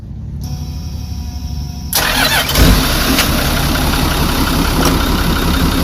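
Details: Marine trawler diesel engine during refit: brief cranking, then catches and settles into steady even idle, no knocks or misses, water coming out. Finding: healthy engine start and run.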